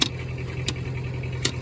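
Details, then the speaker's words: 1963 Case 310F bulldozer diesel at low idle after cold start: sharp metallic clacks about every 0.7 s from loose sheet metal plates rattling; otherwise running decently, water pump leaking. "You'll hear that rattling. It's a bunch of the uh"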